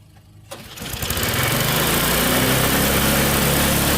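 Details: Tecumseh snowblower engine after carburetor cleaning catches and races to a high, unchecked speed without settling; the governor linkage was refitted in the wrong carburetor hole.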